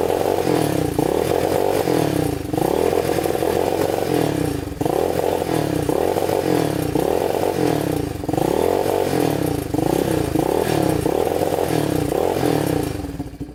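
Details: Yamaha Warrior 350 quad, year unknown, repeated throttle blips each rising then flattening and stumbling instead of revving out cleanly; engine bogging at full throttle.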